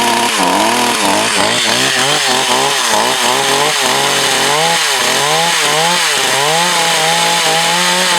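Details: Echo CS 4500 chainsaw, long stored, carb rebuilt. Revs keep sagging and surging every half second, never holding full speed under load: bogging; owner looks to readjust the high/low screws.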